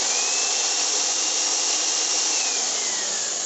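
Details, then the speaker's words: Philips HR2115 blender that was totally dead, motor tested on direct voltage: steady, high, even whine holding speed with no rattle or sag. The motor itself runs normally. "there's no sound like rattling or slowing, so it's usually haunted, so we'll change the name, but this is normal."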